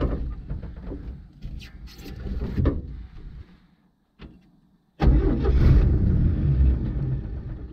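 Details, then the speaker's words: 1952 GMC mega truck six-cylinder with some ports plugged: catches and settles into fast, steady idle, estimated 1,000–1,500 rpm; idle set too high, cause suspected, not confirmed. "It still sounds to me around like 1,500. Well, I'm thinking it's around 1,000, maybe 11 or 12, but that 6-cylinder in these tires, I think you're going to need a little extra."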